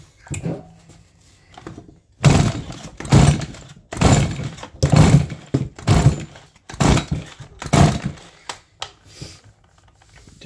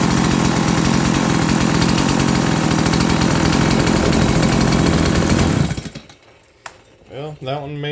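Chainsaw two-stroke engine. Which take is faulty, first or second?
first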